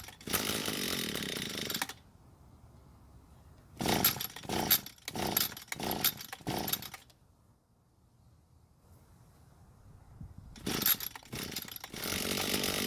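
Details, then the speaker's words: Echo SRM 230 trimmer with replaced ignition coil and serviced carb: catches, runs a couple of seconds, sputters in uneven surges, then dies, same after each carb adjustment; carburetor fault, replacement suggested. "And after each adjustment, it kept doing the same thing, which was to run for a bit and then stop again."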